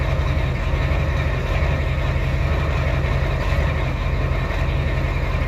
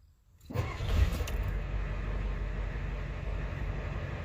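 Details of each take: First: Ford 7.3L IDI diesel after replacing valve cover gaskets and fuel return lines, recorded by the exhaust tip while bleeding the fuel lines; deep, loud idle with a slightly uneven rumble, running a bit rough as air purges from the lines. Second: Ford 7.3L IDI diesel truck after valve cover gasket and return line repair and bleeding air from the fuel lines: catches within a second of cranking, settles into a steady, even low idle with no misses; sounds healthy.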